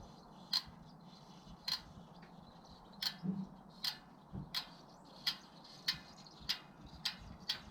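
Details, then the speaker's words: Bicycle after a ride, squeak traced to the rear wheel, not the pedals or bottom bracket; a sharp high chirp about once a second as the wheel spins, suspected freehub bearings: rear hub bearing squeak. "it's gotta be coming from burling's of freehub right"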